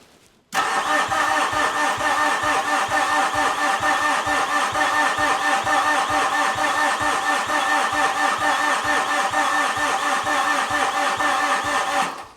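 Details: 2013 Mitsubishi Fuso FG 4P10 diesel after the injector lines were reconnected and bled: steady starter churning for eleven seconds with no firing. It cranks but won't start despite rail pressure reaching 225 bar.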